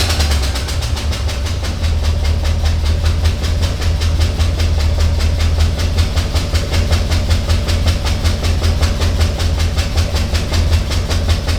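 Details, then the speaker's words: Rebuilt Canadian GMC 9434 1-ton V8, first start: deep rumble with an uneven, loping beat around 160 a minute, one cylinder's pulse missing. Runs on seven cylinders because a spark plug was left out; pre-ignition and timing issues also noted. "We left the spark plug in. Oh fuck, that'll be. She's running on 7."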